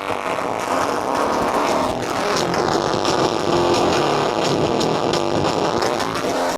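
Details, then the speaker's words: Line-level signal fed straight into a phono input, without a reverse-RIAA stage: harsh, crunchy, heavily clipped playback with smeared treble; the level mismatch overdrives the phono stage. "pretty awful isn't it"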